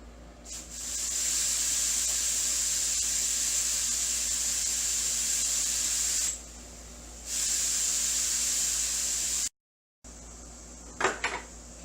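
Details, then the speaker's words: Corvette with its AC system opened and pressurized with air, gauge dropping slowly: a steady high-pitched hiss that drops out and returns from the loose, floppy front AC condenser. Leak found at the condenser, which needs replacing. "yeah I can just move things away right here you hear that so that's where the leak is so this guy needs a new AC condenser"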